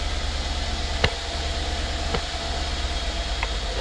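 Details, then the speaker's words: 2016 Mercedes-Benz S550 W222 idling after ignition coil and spark plug service: smooth, even low idle about 800 rpm, down from near 1,000 rpm before; no misfire or stumble, few small background knocks; normal idle. "I can tell you that this thing already sounds 100% better uh the idle changed I think before the idle was some I think it was close to 1,000 RPM uh we're we're just at about what 8 800"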